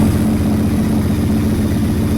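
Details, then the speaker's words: Restored Honda SP1 V-twin on its first proper run after restoration, low on fuel, choke/fast-idle lever pulled out: a raised, even V-twin idle with a steady loping beat and no misfires, ticks or knocks. "that sounds much better back the fast idle up a little bit that sounds lovely that does"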